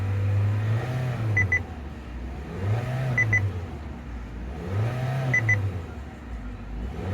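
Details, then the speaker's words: 2022 Kia Seltos petrol engine that cranked but would not start because diesel was put in the tank; under a quarter tank of petrol added, so it is still burning diesel. Even idle, gentle rise and fall every couple of seconds, repeating chime. Working properly. "And everything seems to be working properly."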